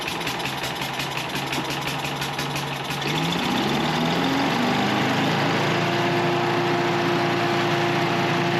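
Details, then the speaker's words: Small pull-start engine, oil checked good, started with a little choke: catches within a few pulls, revs climb smoothly over a couple of seconds, then settles into a steady, even run with no knocks. "So I'm thinking we just fire it up and listen to her run. Turn it on. Let's see if she'll fire right up. Just a little bit of choke."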